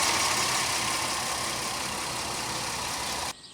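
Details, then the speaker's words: 2001 Pontiac Aztek GT after an oil change (old oil contained Seafoam): steady, even idle under a smooth hiss with no knocks or ticks; engine sounds healthy, though the oil pressure switch is faulty and stuck closed. "sounds good here take a quick gander under here that's fine but it sounds good sounds okay"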